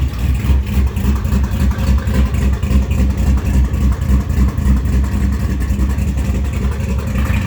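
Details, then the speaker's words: 441 engine with MS3 Pro engine management; deep, steady idle pulsing about 3.5 times a second, smooth with no stumble; sounds good at idle, but intermittently breaks up and won't pass 2,700 rpm once warm despite new plugs, plug wires and coil packs. "So anyhow, she sounds good though. I mean, at idle until she starts spitting and coughing and farting."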